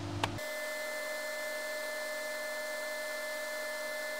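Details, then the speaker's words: VW CJAA TDI, ignition on, key cycled during an ECU flash of MR Tuning stage 2 via Powergate V3 with a battery charger advised. Steady even whir with a fixed tone, no ticks or rattles. Engine cooling fans kick on, running normally. "okay so you can hear the engine fans kick on so definitely good to have a battery charger on"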